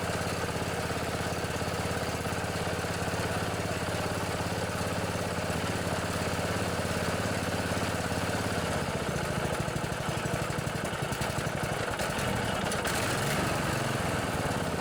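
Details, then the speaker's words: Murray riding mower fitted with a Briggs & Stratton Intek 14.5 hp OHV single-cylinder industrial/commercial gold engine, replacing the old flathead. A steady, even single-cylinder chug holds constant speed with no knocks or misses: normal running. "i put a good old uh intec 14 5 industrial commercial gold engine in this one it runs pretty good want to hear it all right"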